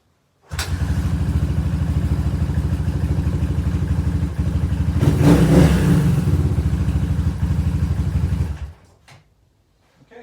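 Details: Suzuki DR350 just after top-end rebuild and engine install, slightly warm. Kick start catches at once into an even thumping single, brief throttle blip, then steady idle until shut off. Healthy normal idle.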